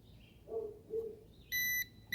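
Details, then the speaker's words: Ruko F11 Pro 2 drone remote controller switched on with a short then long press: two soft chirps, then steady high beeps repeating until it connects to the drone. Normal pairing behaviour. "then that will turn on. And you hear it beeping until it connects."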